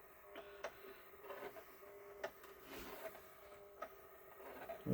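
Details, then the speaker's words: JVC 5-disc CD changer, long unused, after oiling the mechanism rail and post: irregular scraping clicks and a faint steady whir with no smooth travel; mechanism jams again and drags. "I mean, I don't see any parts like hanging out in there doing nothing. So, Oh, now it's jammed up again."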